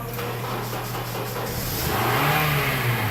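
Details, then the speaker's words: 2005 Honda Accord with a starter complaint, during voltage-drop diagnosis: sluggish, dragging crank under three turns per second before it catches, confirming a slow crank rather than a long crank time; a failing starter is suspected. "right. So now that I have kind of verified a slow crank, not a long crank time, what I'm going to do is take the serpentine belt off and make sure we don't have an issue with one of the accessories."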